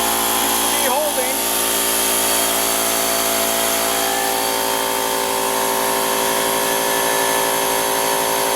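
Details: Husky H1503TP small air compressor, after repairing the broken aluminum pump-to-tank tube that had stopped it compressing: steady, even motor hum with a constant pump drone and no knocking, clatter or leak hiss. Running smoothly.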